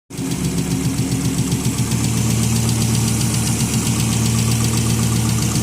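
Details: 1996 Volvo 850 Turbo at about 200,000 miles, fresh oil change and new spark plugs; quick, even ticking about four per second at idle, which began after idling and a restart; owner suspects lifter tick, unconfirmed.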